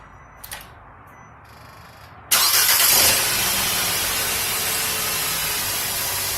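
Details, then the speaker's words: Nissan Sentra after fuel pressure release and fuel pressure check, key cycled to prime and leak-check: quick crank and clean start settling into a steady even idle, no stumble or misfire. "Then you start it up. It looks pretty good."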